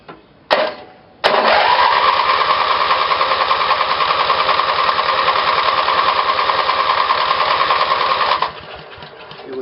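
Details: Twin-cylinder Briggs small engine with a failed magneto used as the trigger for two GM LS2 coils on a battery-powered ignition: steady starter churn, about three pulses a second, for seven seconds without firing; cranks with no spark, so no start.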